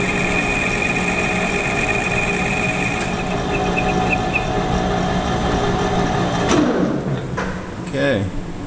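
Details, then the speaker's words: Lathe finishing cut at 550 rpm, 0.004 in (0.1 mm) per rev, 0.040 in (1 mm) on diameter, with a re-honed, lapped right-hand HSS tool bit; steady spindle hum, light smooth hiss, no chatter; nice finish, chip breaker next. "that's a pretty nice finish so that's a pretty nice finish"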